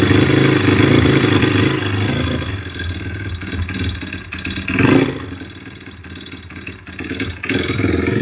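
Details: YX-1 160 four-stroke single revving and settling, with a light metallic clatter and floating ring that come and go with speed. Fully rebuilt with valves adjusted; small piston-pin play, no conrod or cam play, but the cam came out easily with its bearings; slight ringless piston play. Source unknown.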